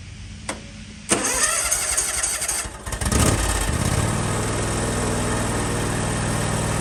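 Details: John Deere X320 riding mower after ignition switch replacement (part HDK445) for a no-start: quick cranking catches cleanly within a second or two, then settles into an even, steady idle; a healthy start after the repair.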